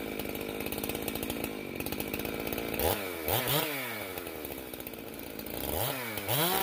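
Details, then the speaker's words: Stihl MS391 chainsaw just after a muffler mod, first start for tuning: thin screaming revs on each blip that fall back sharply, running lean on the high-speed side and needing a small high-speed mixture adjustment. "well as i suspected it got lean on the high side do a little tweak and get it back down into range here"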